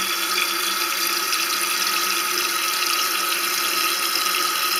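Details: Toilet cistern with worn float/fill mechanism: constant hiss of water running without pause into the overflow safety hole; tank overfilling, corrected by lowering the float via its adjusting screw to about 1 cm below the overflow edge.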